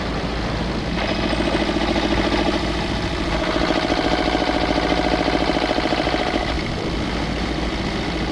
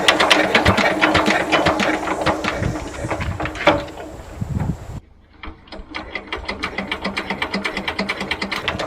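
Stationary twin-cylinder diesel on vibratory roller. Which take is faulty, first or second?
second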